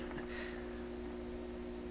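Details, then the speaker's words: 1928 RCA Victor Model 28V radio, warming up, while troubleshooting a cathode resistor showing no voltage drop: after a pop, a faint steady low hum under quiet hiss, no music; possibly intermittent bias current, cause not confirmed. "Okay, so the radio just popped and the hum appeared. The whole time we've been sitting here, it hasn't actually been humming like it does."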